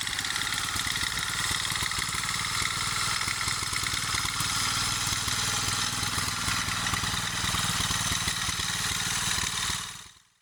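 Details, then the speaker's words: 1947 Whizzer H single-cylinder engine after revival runs with a loose, uneven knocking beat under heavy hissing rattle; engine knock. "you can hear it actually knock, which is, not bueno."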